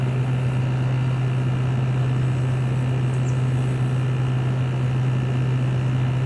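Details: LG 6000 BTU window air conditioner just started, recorded from outside facing the compressor: strong, steady low hum with even airflow, no rattles or knocks, normal running.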